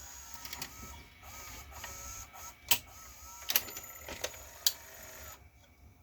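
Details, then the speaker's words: Emerson VCR765 Orion-made VCR, about 1990: whirring with stuttering clicks and clunks as the tape labours to eject; belts not slipping, overall eject torque too high, lubrication suspected needed inside the assembly. "that just seems like it's really struggling to eject I think I might investigate inside this assembly here"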